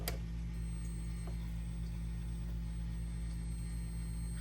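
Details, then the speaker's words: PlayStation 2 that will not power on, no light: steady low buzz with a faint ticking pulse about four times a second; a power supply capacitor is suspected, fix planned by replacing the power supply board. "all right guys so we just got this PlayStation 2 in and when I plug it up and turn it on you can hear like a little little buzzing noise and no light comes on so"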